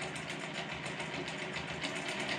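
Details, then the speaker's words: Grizzly G0748 mill after DC motor upgrade, running on low speed: fast, regular metallic chatter over the motor hum as the gear train rattles, a noise that just started today; gear rattle, cause not yet found. "you hear it rattling that just started today so now I've got something else going on with them gears"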